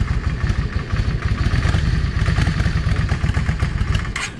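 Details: Cold Yamaha 650 V Star with a modified, drilled exhaust. Lumpy idle with irregular pops from the front (#1) exhaust; blued pipe suggests lean. Owner suspects a clogged idle jet. Rear cylinder is fine, and it runs okay once warm.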